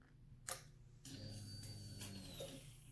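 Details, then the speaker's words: MV Agusta 750F4 cafe racer, ignition on after wiring fuel pump: sharp click then low steady hum for about a second and a half as the pump primes; normal. "Now I'm going to flick this, and hopefully we're going to hear the fuel pump kick in. Hopefully."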